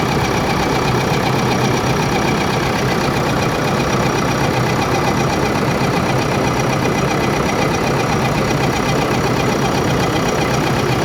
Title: Engine Abnormal sound Part-01 |JBCO2|#shortvideo #engine #trending